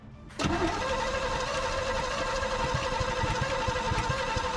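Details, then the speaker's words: 1955 Chevy 283 small-block V8 parked 37 years, new starter, fuel in carburetor: steady even cranking, nothing fires; suspected ignition fault, later fixed by replacing cap, rotor and points. "Okay. It doesn't sound like it's firing. We probably got some ignition issues."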